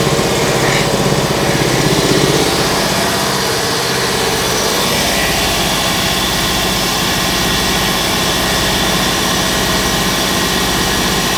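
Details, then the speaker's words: Large two-cylinder Backer 111/2 air compressor (custom Backer pump, rated 1560 L/min), bought used, first start before restoration: even piston beat about three strokes a second with steady motor hum, no knocks; runs like a beauty, normal running. "that runs like a Beauty"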